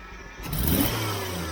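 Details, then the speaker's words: Jeep CJ-7 after lowering a fast idle: quick blip rises smoothly and settles back with no stumble or hesitation; clean throttle response, stumble cured. "that's perfect that's perfect I don't know that it's ever run that good"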